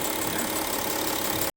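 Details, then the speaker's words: 2014 Audi Q7 V6 turbo diesel, 100,000 km, idling: sharp steady hiss of compression blowing past leaking injector seats (three of six), escaping at the rocker cover bolt seal; exhaust gas melted the plastic rocker cover, causing an oil leak. "something's blowing that yeah i always say it's called compression going through making that noise"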